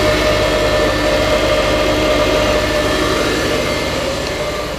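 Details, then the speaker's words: Twin-turbo (GT35/TD04) Subaru Forester, idling to cure exhaust cement gasket: fairly loud raspy drone with faint puffing hinting at a small exhaust leak, leaking mentioned afterward; loud exhaust at idle. "so this works Kevin Jerome once day can you hear it pretty loud"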